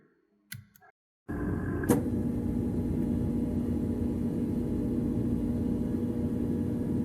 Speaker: sometimes especially when we just got a new refrigerator if we haven't turn up the water up the ice maker should be turned off because it will attempt to take water and this is a noise you will hear